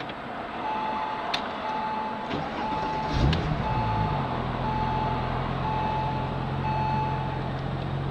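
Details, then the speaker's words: 2002 Porsche Twin Turbo, 61K, 415 HP, 6-speed manual, AWD, heard from inside the cabin at engine start: a mid-pitched seatbelt reminder chime repeats about once a second while it cranks and settles into a quiet, smooth idle; good oil pressure. "Pretty quiet from inside here. Well, it says I should have my seatbelt on too."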